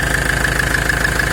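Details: 2002 Ford Transit 2.4 diesel (90 hp) after replacing a worn, noisy belt idler pulley that caused a strong whistle. A steady, even idle with only a faint constant high note and no belt chirp or whistle. Normal diesel idle.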